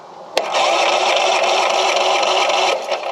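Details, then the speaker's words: Craftsman LUV lawn utility vehicle, not known to run, safety switches held down; starter spins the small engine over for about two seconds with an even whirr, no clicking or dragging: normal starter cranking. "cranks good so let me uh let me see about um I might just hit it with some starting fluid"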